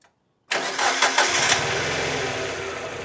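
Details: 2002 Mazda MX-5 Miata NB 1.8: engine catches into an uneven, stumbling, lumpy idle, two cylinders dropping out; ECU coil driver stuck at battery voltage, suspected taken out by a failed coil.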